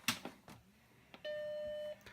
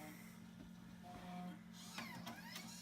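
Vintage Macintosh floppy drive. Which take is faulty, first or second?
second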